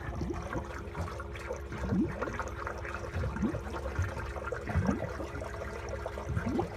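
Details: Malibu 23 LSV ballast system, about 12 minutes into fill: uneven gurgling, trickling and bubbling pulses as water barely enters the hard tank, only a quarter full, gauges at zero while the bags fill well; cause unconfirmed.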